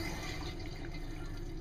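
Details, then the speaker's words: 1992 motorhome, Dometic-Sealand Traveler RV toilet after replacing the leaking water inlet valve: steady rush of water filling the bowl, even flow, no hissing or dripping; water pressure restored, normal flush. "we got water pressure, toilet flushes."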